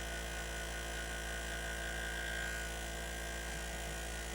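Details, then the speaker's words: Sony BDP-S380 Blu-ray player, bought as "no power" and revived after a failed Schottky diode in the power supply was replaced: the disc drive gives a constant low hum with a thin steady whine while spinning and sounds unhealthy. Cause not yet known. "This just doesn't sound very good, does it?"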